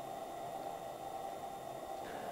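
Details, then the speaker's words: Coleman propane lantern lit at full output: steady, loud, even burner hiss with no sputter or pulsing, quieting when turned down; normal burner hiss. "as i walk up them here you see how bright i get and you can probably hear the hissing that's the propane one it's so loud"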